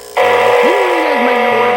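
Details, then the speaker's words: O gauge Lionel/MTH locomotive, possibly Proto-equipped, won't go forward or back: a steady, thin electrical buzz with no motor running underneath, traced on teardown to its electronics. "uh when I and um it just makes this buzzing sound um I won throw a picture of it up here and I'll be quiet so you can hear that weird sound or not weird but that sound and I did pull it apart and it's coming from the electronics in it so you know that buzzing sound"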